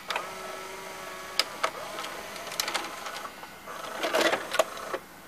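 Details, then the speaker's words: White Westinghouse WVCP-8000 VHS player: short loading-motor whir and crisp clicks and clunks as the cassette ejects, smooth and unhesitating; mechanism working normally. "here's a loading motor that was making all that noise it drives every single thing except for obviously the head and the caption"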